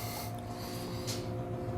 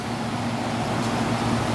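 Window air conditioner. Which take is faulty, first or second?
first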